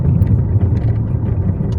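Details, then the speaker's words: Alfa 156 SW driven over cobbled road after rear caliper guide work (old long guides refitted to reduce play): only even road rumble, no metallic rattle from the rear brakes; noise gone. "And now the noise is completely gone, of course, because the intervention that I just did."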